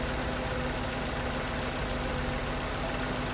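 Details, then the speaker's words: 2011 VW Jetta 2.5L that would not start or stalled, no ECU communication and the cooling fan always running, fan still to diagnose. Now starts: even, settled idle with a low steady drone, no misfires or tapping; normal idle. "Завелась. Завелась. Це добрий знак. Це добрий знак, що вона завелась."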